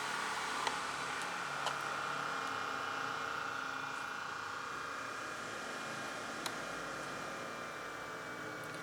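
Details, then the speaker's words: Inverter set papan 24V/48V 2000W with synchronised ATS: quiet, steady cooling fan whir with faint hum, no rattle; fan speeds up with heat, reaching maximum speed at 45°C and can be set to switch off at 40°C; normal. "nanti lebih kencang lagi kalau suhunya sudah 45 derajat Celcius, dia maksimum speed."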